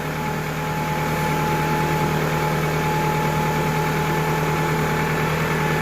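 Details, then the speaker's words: 2000 Toyota Camry four-cylinder idling after alternator replacement and wiring harness repair, with headlights and heater on high: steady even idle with a faint constant whine, no surging, about 14.7 V charging; running fine. "And everything seems to be running just fine, so we are good to go."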